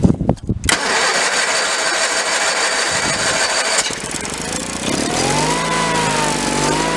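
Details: 1985 Case Ingersoll 448 hydrive garden tractor, Onan twin B48M/B38M engine, after fuel line replacement and no-start: long cranking to fill carb bowl, then catches and settles into steady, even run while warming; fuel system pumping properly.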